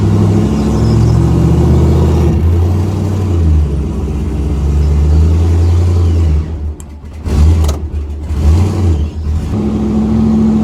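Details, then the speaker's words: Aluminum 5.3 L33 LS street car with Turbo 400 automatic on the dyno: revs flare up on the pull without load, then the drive catches, like a CVT; suspected transmission slipping, from low fluid or a bad transmission. "if you can't hear it this thing definitely needs some training fluid still hear that or zach's got a bum one of the two it's like a cvt she's got a stand on her and then she engages"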